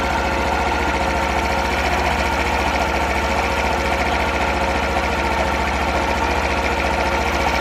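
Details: Super Cub 50 FI (AA04-3202) parts bike, recall work done, start-up check: quick, even putter of about three to four beats a second holding steady with no knock or tick; normal idle, no abnormal engine noise.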